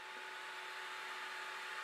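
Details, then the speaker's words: Anycubic i3 Mega-S 3D printer, bottom cover off, at print start: steady airy rush with faint constant hum as the stock mainboard fans spin up underneath, quite loud; fans later replaced in upgrade. "you can hear the main board fans spin up underneath there it is quite loud"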